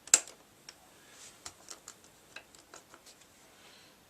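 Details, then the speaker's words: Old B&O Beocentre 2200 cassette deck being tested with an old tape, after rewind and fast-forward partly worked. Pressing play gives scattered, irregular clicks with no motor hum or tape running: play is not engaging. "that doesn't want to play"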